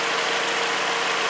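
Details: Kia car with about 440,000 on the engine, a maintained engine: a steady, even idle with a hissy top end and no misses or knocks. An exhaust leak is noted; otherwise the engine is healthy.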